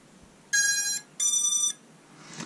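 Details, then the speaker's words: FPV drone (F7 flight controller) battery plug-in giving two clean high-pitched beeps about half a second each, the normal ESC startup tune; only the first beeps play because some F7 controllers take longer. "don't be frightened if you plug it in you only hear the first beeps that's how some f7 flight controllers are they take longer"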